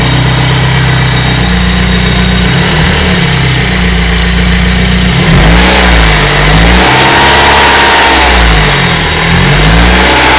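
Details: BMW E30 318is M42B18 engine idling then revving, metallic rattle riding over it, worst at 2800 RPM; bad cam sprockets and slack timing chain, driven about 50,000 km in this condition.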